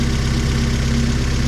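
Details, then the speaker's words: Budget race Honda K24 on E85 with 1150cc injectors, fuel pressure 50, running old tune, exhaust only one centre resonator; loud open steady even idle; healthy. "Everything is sweet, so it's pretty loud with only the one center res."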